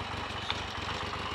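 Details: Triumph Trident T150V triple, first start in over 2 years (last taxed 2003), idling with steady, even low pulsing and no misses, knocks or rattles; clean, healthy normal idle.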